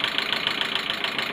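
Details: Car engine warm at idle after head gasket replacement, two valve buckets swapped, alternator belt off; sharp light ticks about seven per second over a smooth idle, none when cold; owner suspects overfilled oil or tensioner not pumped up; ticking at idle.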